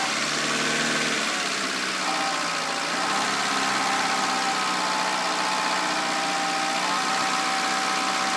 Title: Clio 1.2 16V Whiney Rattling noise